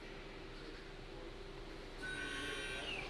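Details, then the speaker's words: Hyundai Sonata electric parking brake, complaint of brake stuck on; right rear caliper motor heard applying normally with a thin steady whir, while the left side does nothing at all; owner first suspected a seized brake, but the cause proved different. "I can hear the motor on the right side is applying."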